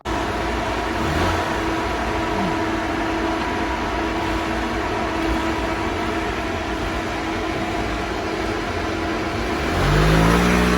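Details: Honda Vario 150 LED scooter after service for heavy engine oil seepage and throttle body cleaning, stock exhaust, on the dyno with a flat rpm graph: steady drone at even pitch, then a smooth rise in revs; normal revving.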